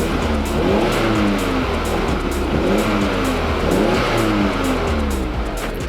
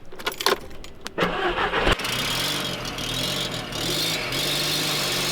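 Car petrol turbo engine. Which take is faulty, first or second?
second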